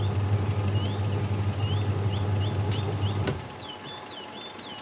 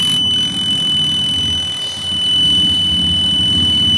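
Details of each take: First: Aqua QW-781 XT twin-tub washing machine wash motor on test: steady low hum about three seconds, then drops away as the tub pauses and reverses left to right; wiring to motor intact, motor healthy. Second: AQUA QW-781 XT twin-tub washing machine spin dryer before seal replacement: thin steady high-pitched squeal over the spin motor hum, typical of a rusted dryer tub seal dragging.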